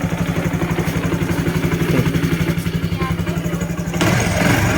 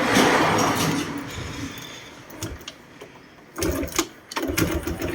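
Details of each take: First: Honda Wave 110i after a rebuild with the cylinder bored and new piston rings, fixing hard starting and no compression: quick, even single-cylinder idle with no misses or knocks, compression now good, running normally. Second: Honda Wave 110i whose engine was rebuilt about a month ago (bored piston, new rings); worse in the mornings. Starter cranks in uneven bursts, then it catches and runs unevenly and stalls unless throttled: hard starting, no compression, suspected leaking exhaust valve.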